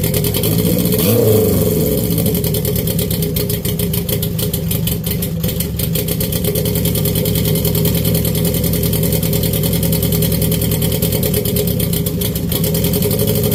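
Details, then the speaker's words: Honda CB750 pro-mod with a TD04H turbo, throttle blips: loud, steady engine with even firing, no misses or rattles; boost builds instantly with throttle and keeps rising when held; runs healthy. "Once the boost, not even once the boost, once you give it gas, the boost starts coming up instantly, and then the more you hold it, the more boost you get."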